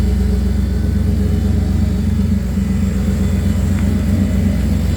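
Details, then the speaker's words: Magnaflow 750 Pro-tuner fuel pump after fitting a new #10 PTFE feed line (old rubber braided line shed debris clogging the 100 micron post filter, causing stalling in reverse); filter cleaned, steady 43 psi, smooth even rumble, pump and engine running much better. "the pump sounds way better with that new line on clean filter it also runs way better too 43 psi rock solid nice"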